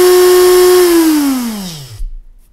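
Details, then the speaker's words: Freshly rebuilt CrawlMaster Sport brushed RC motor with timing advanced, tested for direction: clean, steady high whine coasting smoothly down; audibly faster forward than reverse, as intended. "just audibly we can hear that it is faster in forwards than it is in Reverse"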